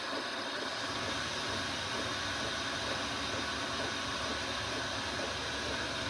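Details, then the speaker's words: 8 kW diesel heater in a 1986 Fleetwood Prowler 23P trailer, ramping down to maintain mode at 25 inside, with the fan and fuel pump slowing: a steady airy fan rush with a soft pump ticking and no rattle; normal running. "fuel pump is slow down in order to hear that the fan kicking down"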